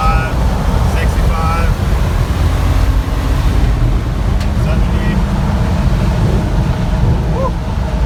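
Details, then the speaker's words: Old Jeep truck with old V8 and four-barrel carburetor, full throttle from 55 to almost 80 mph: deep steady full roar under load, no hesitation when secondaries open. Normal full-throttle acceleration. "almost 80 woo that's much scarier in a large vehicle see you just can't argue with an old V before barrel and it didn't even hesitate when we stab the seconders nope"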